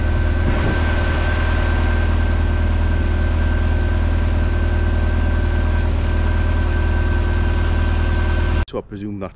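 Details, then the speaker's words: Lotus Elise after tightening the loose auxiliary belt that caused a squeak at engine start: steady, even idle with a deep low hum and no chirp or squeal; owner presumes the fix sorted it, as it's better than before. "but I presume that's going to sort it out now cuz it's better than it was"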